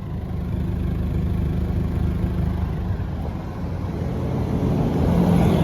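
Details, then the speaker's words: Nissan B14 with 1.4 engine after ECCS downgrade project, back running with covers refitted: low, even rumble at idle swelling slightly as revs rise, no knocks or misses; normal idle, purrs like a kitten. "So ayun, she's back and running. Purrs like a kitten."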